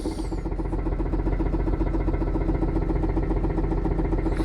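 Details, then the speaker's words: After Rislone engine treatment and a drive: steady light tapping, roughly four taps a second, over a low idle drone; tapping unchanged, treatment did nothing. "okay so we are back and it's still making the same noise so it's not going away as you can see same"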